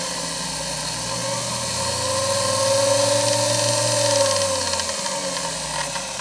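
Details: Grizzly G0781 mill motor, rebuilt with a 2.5 hp armature in the shorter 1.5 hp magnet housing, on a bench test run with pulley fitted; an even whine rises, holds steady, then eases off with no knocking or grinding, so it runs healthy.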